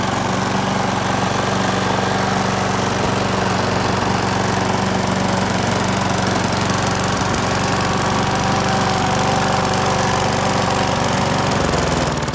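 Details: Australian-built Rover four-stroke mower after governor spring straightened: even, steady buzz at constant speed with no surging or hunting, then a drop as it shuts off; runs healthy.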